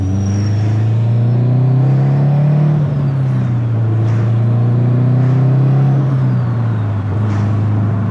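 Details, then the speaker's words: Built 2005 Subaru STi on its first drive, breaking in a new clutch and flywheel: steady engine drone rising with throttle and a faint whistle as the turbo spools to about 1/3 psi of boost. Normal spool. "We dipped into the positive PSIs a little bit. We hit 1/3 of a pound of boost."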